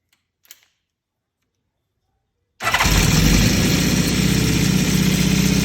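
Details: Honda CB550 motorcycle engine starting and settling into a lumpy idle with a loose metallic rattle; cause unknown.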